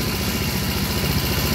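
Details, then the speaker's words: Yamaha Grand Filano fuel-injected scooter during throttle body service, check-engine light on: even, quick low putter at steady speed with no hunting or dying; idle speed correct. "Kalau langsamnya kebesaran atau kekecilan, kalau langsamnya kebesaran ini bisa gerung ya. Nih, ini langsamnya udah pas."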